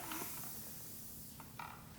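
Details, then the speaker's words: Bike inner tube from roughly 700x28 touring tire, removed and inflated to find the puncture; faint steady hiss of escaping air under handling noise; hole found on inside of tube, suspected pinch flat. "This is the time to like kind of feel around for the hole or wet your lips and Right. see where you might feel the leak."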